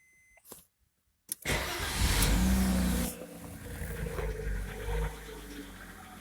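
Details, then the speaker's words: Audi A6 2.6 V6 (ABC), petrol, about 10–15 (units unclear) after a full rebuild (bore, new pistons, rings, bearings, heads ground and pressure-tested): engine starts and idles with an uneven knock about twice a second, heard near the left head, roughly cylinder six. "Стук в районе левой головки. Ну, так на слух где-то шестой цилиндр, в районе шестого цилиндра."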